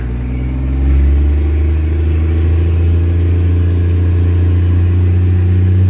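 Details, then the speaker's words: Diesel truck pulling away from a traffic light: deep, heavy rumble climbs smoothly and holds strong with no misses; healthy acceleration, torque converter locks up once warm. "I'll wait till this light turns green and I'll show you how he accelerates."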